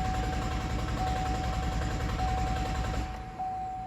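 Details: 2012 GMC Acadia, codes P0689 and P1682 (ignition relay feedback circuit low voltage): starter cranks at a steady few beats a second but the engine never fires.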